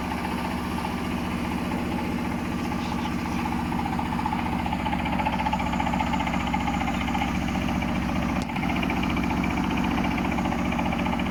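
A heavy, droning washing machine spin with a rhythmic thump about four times a second, typical of an unbalanced load.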